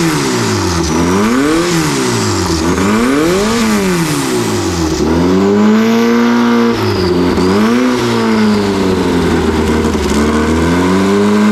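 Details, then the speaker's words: Free truck that had sat with 20-year-old diesel in it, first start with no accelerator pump: revs rise and fall smoothly about every two seconds with no knocks or misses, making 50 psi oil pressure. Normal engine revving. "it uh making 50 lbs of oil pressure. Yeah, it's it sounds good. The motor sounds really good."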